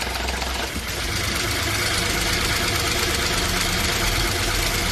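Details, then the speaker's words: Ford EcoSport 1.5 manual gearbox at cold idle: a loud, fast metallic rattle that stops when the clutch is pressed and returns when it is released. Exact cause unclear. "Bueno, escucharon ese ruido. Está raro, ¿verdad? complicado porque se quita cuando pisamos el embrague, se vuelve cuando soltamos el embrague,"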